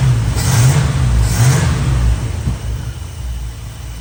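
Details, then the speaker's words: Chevy Square body barn-find V8 with a 650 Edelbrock carburetor that is loading up. It revs cleanly twice and settles without misses; it sounds good but needs work. "Doesn't sound bad. Well, it didn't sound bad. Okay. Needs a little bit of work, needs a little love, but it sounds good. It's a good sounding engine."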